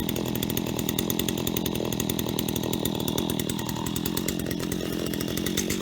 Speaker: so there we have it ht75s from an auction and they work perfectly and they're even sharp